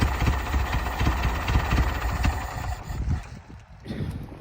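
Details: Old tractor running on auxiliary tank; uneven lumpy low thumping about two beats a second that stumbles and fades; rough running, owner suspects excess dwell movement from worn distributor.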